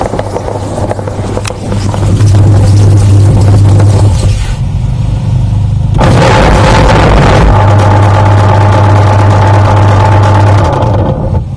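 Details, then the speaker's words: Akari twin-tub washing machine during wash: loud hum with heavy rattling, knocking clatter of about three beats a second, a loud rattling and grinding fault. "Bagaimana caranya mengatasi nyuci Bang dua tabung lagi nyuci dia bunyi gadodad bagaimana caranya"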